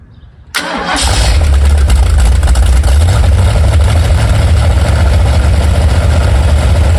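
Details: Ford 289 small-block V8 with C4 transmission, freshly rebuilt and installed in a 1973 Mercury Comet, with H-pipe and mufflers: catches quickly after a short crank and settles into a deep, steady, even idle with no knocks or misses; normal start and idle.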